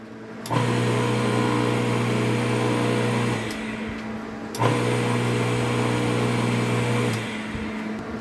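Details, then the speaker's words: Half-HP peripheral water pump after fitting new 25 µF 250 V capacitor, no jumper: kicks in instantly with steady low electric hum, runs evenly, stops and restarts cleanly; normal start after repair. "Vamos ahora a encender la bomba nuevamente y vamos a ver ahora si no tengo necesidad de colocar mi pequeño jumper."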